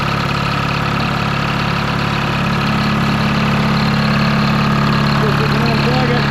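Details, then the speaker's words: 1953 HD5 crawler diesel after cold start, following battery/cable issues and a starter drive not kicking out: steady, even chug about three beats a second with solid low rumble, no misses; normal idle. "yeah yeah oh yeah listen to that baby that's awesome"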